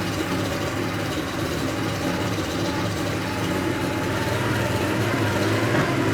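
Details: 1987 Porsche 911 Carrera 3.2 engine on a test stand, first start after sitting for years: lumpy, uneven idle with heavy exhaust popping and a strong fuel smell from unburnt fuel.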